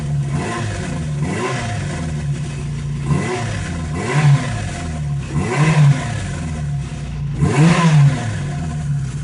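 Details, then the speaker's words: Honda CB350F after cam chain adjustment: revs climb and fall smoothly in repeated blips, earlier cam chain whine gone; heavy smoke from exhaust and breather, owner suspects unseated rings after rebuild: normal revving. "so it seems to run pretty well besides the smoking probably just need to try to break in the rings"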